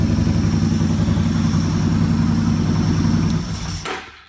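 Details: Motorcycle fitted with a Digital Guard Dawg KIM-P RFID keyless system, started with the fob in a pocket and no ignition key. A steady, even low thrum at idle with a regular pulse and no knocks, then it is switched off: normal idle.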